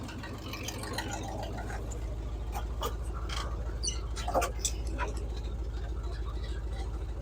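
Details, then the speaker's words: 1978 Chevy K10, 305 small-block V8, after valve-train and ignition work, carb bowls primed, new inline fuel filter: low, even idle rumble, no miss or stumble; normal idle, thermostat possibly sticking. "Well, there she is, purring like a kitten. She finally started running right."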